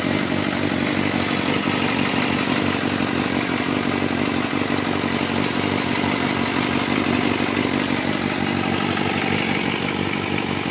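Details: 2004 Suzuki GSXR 600 at cold start in Arizona: light, uneven tick over the four-cylinder idle; owner suspects the cam chain tensioner needs replacing, not confirmed; engine ticking at idle.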